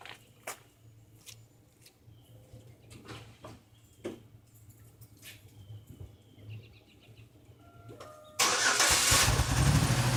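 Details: Buick with failing intake gaskets, coolant mixed into oil: rough, uneven idle with irregular thumps and clicks, a bad misfire and bad engine noises.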